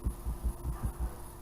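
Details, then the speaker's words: 1969 Pontiac Firebird door rocked while closed: five dull low thuds in about a second, loose clunking from plastic hinge bushings that have come apart and worn through so the door rides on the pins; possibly some rattle at the striker. "And plastic bushings are all coming apart. Yeah, that one's spread. Yeah, it wore through to the pins."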